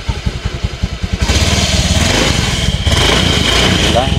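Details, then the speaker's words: Honda Beat FI 2016 scooter after throttle body cleaning, idle not yet adjusted: even smooth idle pulses, then clean quick rev rise without stumble; throttle response now light compared with before, normal revving. "sekarang kondisi motor ini tarikannya enteng ya jadi beda e dengan yang sebelumnya"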